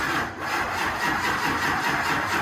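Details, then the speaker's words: Diesel Humvee cranking after a CTS3 module was made to work, expected to crank long for fuel: sluggish, dragging crank that never reaches speed. Slow cranking from low batteries; owner reaches for a jump box. "Crank it up. I mean, it's probably going to take a second to crank because of the fuel. But come on, baby. My batteries are a little low, boys."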